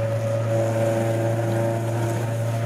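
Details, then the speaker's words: Nissan Gazelle S12 cruising below about 3000 rpm, around 3300 rpm, with a large cannon muffler: constant low droning hum; exhaust drone. "when it's lower than like 3000 rpm it's so droney"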